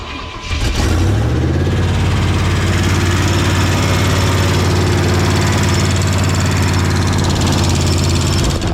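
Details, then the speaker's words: Junker-88 Chevrolet K1500 after no-start repair, running about a day later with exhaust and inspection cover refitted: starts to a lumpy idle with fast, light top-end tapping; valve train tick, owner hopes loose rockers, one pushrod visibly loose. "Um, it's been about a day and there's some kind of ticking ticking noise. I'm hoping it's just loose. Um, rockers."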